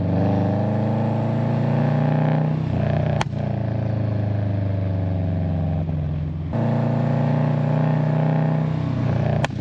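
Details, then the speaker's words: 2008 Subaru Legacy GT with a used GFB Hybrid/Respons blow-off valve just fitted: revs climb and drop twice, each lift-off followed by a sharp crack, loud overrun exhaust pops with the valve venting, heard from outside at the exhaust. "So yeah, I'm gonna try to get some shots from the outside exhaust so you guys can hear the pops. I think it's a little too loud for my liking, but it does sound cool."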